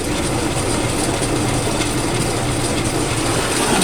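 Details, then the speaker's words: Toyota Tacoma transfer case: steady fast gear-like ratcheting chatter in four-wheel drive persists with the front driveshaft removed, ruling out the suspected double cardan joint; noise comes from the transfer case output end, absent in two-wheel drive. "still here there's no as well got to be something coming from the transer case"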